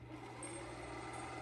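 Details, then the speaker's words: Toshiba M46 VHS VCR, likely late 1990s, rewinding a tape: steady low whir with a faint high whine, even and unbroken, with the gears snapping into place. Normal rewind. "I'm going to rewind it can uh hear the gears and stuff snap it into place"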